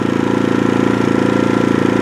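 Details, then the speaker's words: New AIVOLT 4300 inverter generator on gasoline, first run in low-idle eco mode, no oil light: even low-pitched putter with steady quick pulse, no knocks or misses; quiet enough to work beside, normal idle. "As far as noise, I mean, walking around it here, I would have no issue working right next to this thing."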